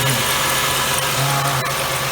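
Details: 2000 Ford Windstar 3.8 after replacing pinholed water bypass tube under the plenum with new gaskets and isolator bolts, first start: smooth even idle, steady low hum, no hiss or vacuum leak; running smooth.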